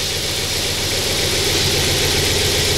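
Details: 2002 Audi S6 C5 4.2 V8 (ANK) first start after an engine rebuild with a new tensioner: smooth, steady idle with an even beat and no rattle or ticking, quieter than before; normal idle.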